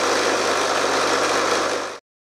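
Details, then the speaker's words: RF45-style milling machine (AMA 45), six-speed oil-filled geared head, bought second-hand, worsening noise and spindle seal leak: dense constant rattling clatter over motor hum, stopping abruptly at shutdown; gearbox rattle, cause not yet found. "it has a geared head with six speeds the gearbox has always been fairly noisy though recently I think it's been getting worse"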